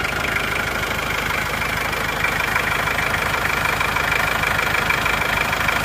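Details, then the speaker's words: Engine that shook at idle and when revved, old engine mounts not replaced; after the engine itself was repaired it idles smoothly and evenly with no knocking or misfire; normal idle. "Nah setelah mesin kita perbaiki itu walaupun mesin tidak kita ganti itu hasilnya sudah halus seperti ini"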